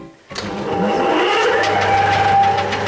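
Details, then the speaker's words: Car alternator on a test bench driven by a 4 kW motor on 220 V. When a 10 A load is switched on, the hum deepens and the bench motor bogs and stalls. This is the alternator's normal braking under heavy load, and it heats up more as load rises. "вот какая нагрузка генератор создает какую нагрузку что стенд у меня не справляться с 10 м 1 нагрузкой и двигатель меня останавливаться"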